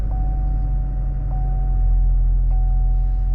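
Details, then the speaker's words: 2011 Saab 9-5 Turbo, 104,592 miles, front-wheel drive, running but not drivable: quiet, even hum at steady idle with a faint constant tone and no ticks or knocks; very smooth, quiet, healthy engine. "Sounds great. Very, very smooth, very, very quiet. So good engine."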